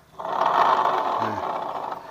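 Rough, gravelly growl as the rear wheel is spun by hand, fading as it slows: worn rear pulley bearings in the CVT.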